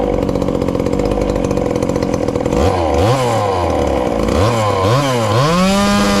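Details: Ported little 2375 chainsaw, still on its regular fuel and nearly out, before switching to methanol: rough burbly idle, then clean revs with smoothly rising and falling pitch. Runs fine, slightly rich.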